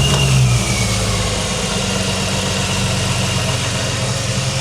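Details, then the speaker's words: BMW E46 330i manual touring (supercharged): after cylinder-four coil pack reconnected and properly clipped in, misfire cured; steady, even idle, all cylinders pulling smoothly. "Well done, Bruno. You've cured the misfire."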